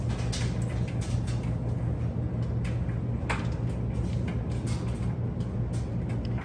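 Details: Maytag Bravos king-size electric dryer just started with wet clothes; the auto sensor kicked in. Low, steady drum hum with soft tumbling thumps and no scraping or squeal. Normal operation.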